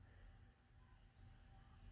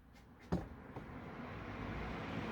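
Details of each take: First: Room fan with an induction motor, set to low: a low, quiet motor hum with almost no blade whoosh as it takes forever to start spinning. Owner suspects a bad starting capacitor. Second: Room fan that took long to reach speed, after oiling front and rear motor bearings, reassembled, in a hot shed; whoosh rises quickly then settles into steady airflow hum, no rubbing or squeal; working normally.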